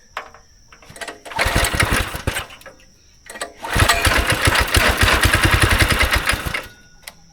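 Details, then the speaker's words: Go-kart single-cylinder small engine, not run in about 3 years, carb cleaner sprayed in: two short bursts of rapid firing that die out; fires briefly then dies, only runs on starting fluid, bad gas in the system suspected. "Okay, it fired up for a second. Seems like it's only wanting to run on starting fluid or brake cleaner."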